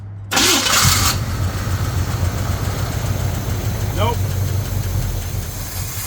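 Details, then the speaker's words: Square-body Chevy Blazer off the road 20 years: starter cranks engine over with low rumble but it never catches; fuel pump works yet no fuel reaches the engine, vehicle came with new fuel tank. "So, the fuel pump's good. Just no fuel back there. Just no fuel back there, which is fantastic."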